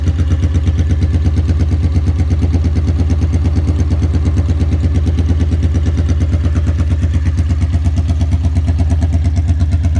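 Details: 1982 Honda Magna V45 VF750C, cold start right after an oil change with Shell Rotella T4 15W40 and a K&N filter, loose choke held with a zip tie: deep, even thrum at fast idle with no misses or knocks. Normal cold idle while warming up.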